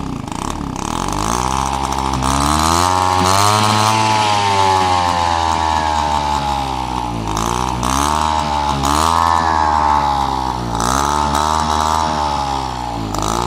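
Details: Peugeot 103 RCX moped two-stroke, first start after full engine rebuild and carb cleaning: crisp buzz rises and falls cleanly with each throttle blip, no misfire or rattle; runs healthy.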